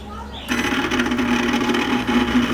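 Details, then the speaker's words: Microwave oven with the turntable motor area cut open, running: steady buzzing hum with a rough rattle on top; the turntable motor is believed to be the source of the noise. Noisy turntable motor. "Este creo que es el que está haciendo el ruido vamos a arrancarlo de nuevo"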